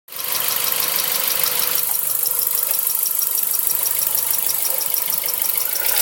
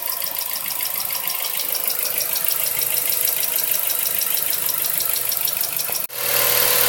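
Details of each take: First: Mazda 3 1.6: fast light valve tapping, about three ticks a second over steady idle, recorded before valve adjustment; two valves were found with excessive clearance, engine runs quiet after adjustment. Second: Mazda 3 1.6 idling after valve adjustment; two valves had been found with excessive clearance causing tapping: now an even, quiet idle with only light soft injector-style ticking and no heavy tapping; normal idle.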